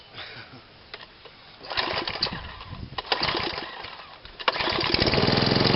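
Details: Sovereign lawnmower started up: quiet fumbling, then the engine catches and settles into a steady, high, busy drone. It is running a bit fast, and the owner chose not to adjust it.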